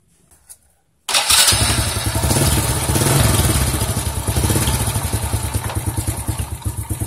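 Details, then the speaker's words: Honda C-series (Grand) motorcycle starting and idling: uneven knocking mixed into the running; one loose clutch bolt strikes the turning clutch, making noise when the clutch is operated. "dicek ternyata ini ada satu bot yang kendor ya Jadi pada saat koping ke sini itu kena k kopling ya jadi bunyi"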